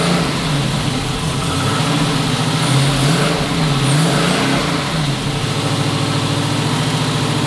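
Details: Twin-turbo 5.3 L33 LS-swapped 1974 Chevrolet Nova after cleaning the fuel system and adding fresh gas for bogging: brief rev, then a smooth, clean idle sitting a little high; tune and throttle position sensor were changed, so the TPS is a possible cause.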